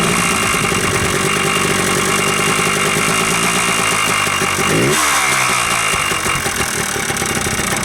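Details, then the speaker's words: Yamaha Blaster two-stroke ATV after top-end rebuild, cold start with a little choke, fuel mixed about 32:1: steady, crisp idle with brief rev rise and fall, only a tiny bit of smoke; sounds good, nothing worn. "so it sounds pretty good I'm un sure if you can hear me but it sounds good she idles uh no smoking still not even smoking after I did the rebuild and ran it for a while so it's not nothing's worn down yet"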